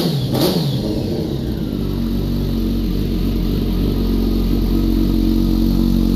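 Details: Kawasaki ZX-10R with crank-no-start and no fuel prime, after fitting a new ECU: catches quickly and settles into a steady, even run with clean revving, no misses or knocks; normal running.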